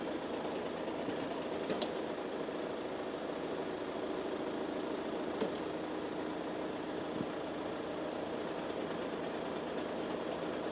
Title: Strange noise passat cc 2.0 tdi dsg 2012